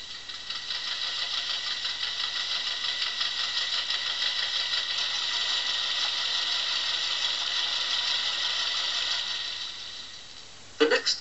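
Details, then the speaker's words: Vintage 1950s–60s engine-noise record: fast, tinny metallic rattle like a bag of nails shaken over a labouring engine, heard driving hard uphill; pinking (detonation), linked to lower-grade petrol or ignition timing too far advanced. "like a bag of nails being rattled again you'll hear this when he pitches on the road perhaps driving hard up a hill or that's pinky"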